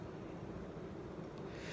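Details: Emerson K63 52-inch four-blade two-speed ceiling fan on high speed: soft, even low hum with a faint steady whir and no ticking or grinding; the motor runs smoothly.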